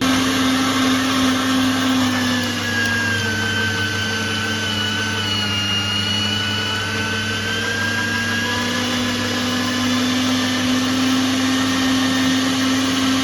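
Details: Meat grinder running after home knife sharpening, knife fitted snugly to the plate: constant motor hum with a smooth single-pitch gear whine, no grinding or catching. Runs normally.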